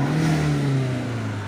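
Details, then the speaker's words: SEAT Leon mk1 1.8T after refitting original spring with shims on new TIAL relief valve: revs up cleanly and holds revs steady as it settles, no stumble; revs no longer drop as before, sounds healthy. "Se escucha chido. Muy chido, la verdad. Y si lo aceleramos, ya no se caen las revoluciones como hace rato."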